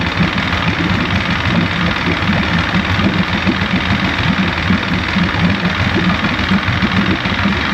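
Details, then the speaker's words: 1973 Johnson 65hp outboard (65ELS73R, no tilt/trim), long-sitting, first start after no-start repairs: rough uneven two-stroke idle with rattly burble, cold at about 60°, water pumping but thermostat not yet open. "I think it is pumping up. Just a thermostat hadn't opened yet because it's so cold."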